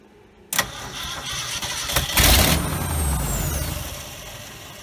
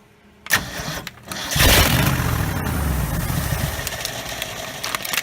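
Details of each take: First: 1969 Ford F250 first start after 11 years, replacement carburetor with gas poured in, jumped with a screwdriver: starter cranks, one loud firing burst on a single cylinder, then back to cranking; fuel supply suspected. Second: 1969 Ford F250 first start after 11 years, with a swapped carburetor, a replacement starter and a vacuum line fixed: a couple of short cranks, then the V8 fires and settles into a steady, slightly lumpy idle that holds; normal start and idle, radiator empty.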